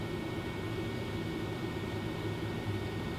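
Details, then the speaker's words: Newly installed Fantastic Fan RV roof vent on lowest setting, recorded inside the coach: soft, even airy whoosh with faint steady motor tone, no rattle or ticking; runs quietly, higher settings noisier. "so if you sit here on the stable it's doing its job not too noisy either"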